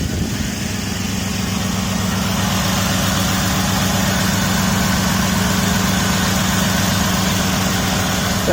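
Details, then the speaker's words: Cheap WJ Jeep Grand Cherokee that stalls and won't restart (injector pulse reportedly stops), with new coils and battery. It ran 15 minutes parked without missing; at idle a sharp, regular puffing tick, about four per second, rides on the exhaust note: exhaust leak. "It's got an exhaust leak, so I'll start it up."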